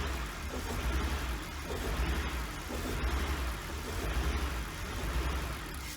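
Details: 1999 BMW 328i just after a new fuel pump, battery and air intake hose: engine swells and sags about once a second under light throttle and won't settle to idle. The owner suspects a missing cylinder or leftover bad fuel.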